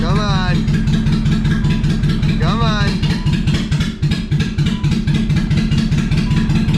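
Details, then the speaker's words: BMW E30 with swapped M50 engine just after first start, no exhaust fitted: loud uneven idle with irregular stumbling firing pulses, smoking; runs rough, owner thinks the missing exhaust is largely why, cause not confirmed. "she ain't happy but she's running all right well she runs not very happily i think that has a lot to do with the uh no exhaust i think that's making it sound really bad"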